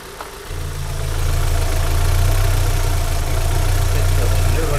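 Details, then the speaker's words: Opel Astra with 16XER petrol engine and low oil pressure warning, suspected VANOS check valve issue: smooth, steady low idle after a brief rise, no ticking or rattle; normal idle. "Maintenant regardez, le bruit de la voiture est normal."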